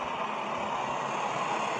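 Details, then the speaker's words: Backpacking liquid-fuel stove after preheat, running with its pump not working perfectly: steady, even hissing roar, no sputter, fuel moving well; water boils in about 7 minutes. Normal burner roar. "That's the sound that this stove makes. For whatever reason, my pump's not working perfectly, so."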